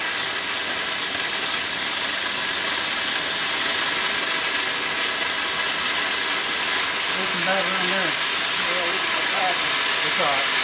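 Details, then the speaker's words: Upright steam engine that sat for years, tried at about 20 psi boiler pressure. Only a steady loud steam hiss with no chuff: the slipped eccentric puts steam on both sides at the wrong time, so the engine won't turn over. "there's no way around it it's not going to run it's trying to put Steam on both sides but at the wrong time"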